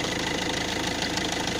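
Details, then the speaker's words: Citroën C5 1.6 HDi 110 diesel at idle: fast, even light ticking over steady idle, located near injectors; injector seals replaced without change, camshaft timing chain suspected, not confirmed. "maintenant je vais essayer de vous faire écouter ce que l'on entend au ralenti alors le bruit se situe au niveau des injecteurs"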